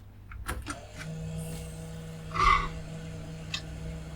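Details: Retro PC powered on direct mains after light-bulb limiter test: a few clicks at switch-on, then low steady hum as the hard drive spins up; normal spin-up, no beeps, possibly no speaker fitted.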